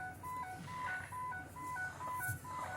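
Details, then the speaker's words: 2007 Ford E350 passenger van with AdvanceTrac RSC fault, restarted with a plug left off during diagnosis: short, evenly spaced mid-pitched beeps repeat through startup; the AdvanceTrac warning chime is still active. "all right so we still got this problem"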